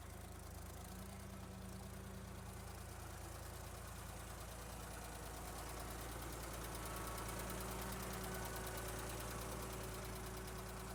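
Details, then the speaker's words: 1972 Ford 3400 backhoe tractor, diesel, after restoration: even, steady diesel clatter at idle, no knocking or misses; healthy, smooth-running engine. "Got the tires back on it to see if it would drive around and make sure there was no other major components or loud knocking noises or anything of that sort. And here's what she sounds like now."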